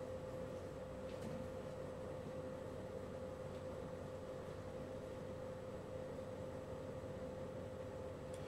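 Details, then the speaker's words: LG portable air conditioner compressor just started and already cooling, microphone brought close to the side where the compressor is: a quiet, steady mid-pitched hum with soft fan hiss and no rattles. This is normal compressor operation. "compressor ele está ligado a máquina já está refrigerando tá"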